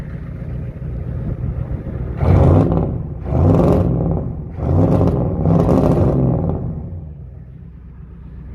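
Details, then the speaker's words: 1993 Ford 7.3 IDI turbo diesel, partly warmed (parked inside, driven earlier), revved in four bursts: uneven rises and falls over a lumpy idle; rough running from a faulty injection pump. "if it sounds like a titling rough that's because the injection pump is messed up and this thing is not cold"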